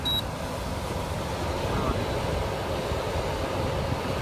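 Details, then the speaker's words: Goodman air handler after bad capacitor replaced, restarted to check amp draw, technician still recommending motor replacement; steady even rush of air with low motor hum, no rattles or surging, normal blower operation. "So we're going to start this thing back up and See what kind of amp draws we got. Alright, she came on."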